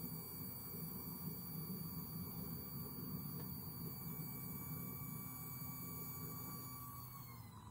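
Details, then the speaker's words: VAG car, fuel pump run via VCDS basic-settings transfer fuel pump test; steady electric whine from the rear pump, pitch dropping lower as the fuel filter fills; normal priming. "just switch it on and you hear it's pumping fuel from the back you will hear it now and as a sound of that goes lower that means it's harder to move work that means the fuel filter is filling up"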